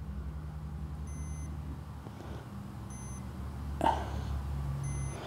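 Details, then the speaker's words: Multimeter continuity test of fuses while diagnosing a BMW motorcycle fuel pump: three short high beeps over faint hum; continuity present, all fuses good. "set this thing to continuity so you can hear it beep and you just touch each to the little things little exposed"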